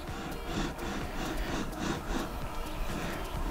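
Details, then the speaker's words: Creality 3D printer carriage after adjusting rollers and fixing factory defect: rolls back and forth with even low rumble, no clicks or catches; normal smooth carriage motion. "смотрим никуда не двигается ничего не щелкает"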